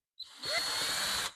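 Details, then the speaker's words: Cordless drill, bit not tightened enough in the chuck: high steady whine with brief rising squeals as the bit spins instead of cutting, chewing up the bit's end; fix is a hard twist to retighten the chuck. "right now the only thing that's doing is chewing up the end of our drill bit here so at that point that's caused by this not being tight enough on there"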